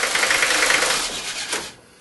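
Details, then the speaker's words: Old 5-cylinder Mercedes diesel with 140,000 miles and its original Bosch injector nozzles: sharp, rapid clattering ticks over the running engine, typical of worn nozzles not spraying properly, before nozzle replacement. "it has a very very very loud diesel wrap to it that is not what this engine is supposed to sound like now regardless of the mileage on the engine if your engine sounds like this chances are you you have one or more nozzles that are not spraying"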